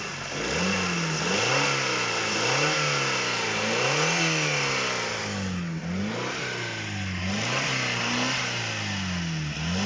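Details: Honda K20A Type 4 engine knock: the engine is blipped up and down repeatedly and a harsh rattling tap rides on the revs as they climb; knock source undetermined.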